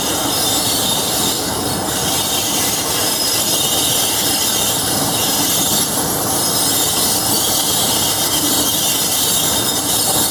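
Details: Class 47 diesel locomotive 47077 braking near Levisham station, North Yorkshire Moors Railway: loud, sustained high-pitched screech and whistle over rail clatter; normal brake and bogie squeal.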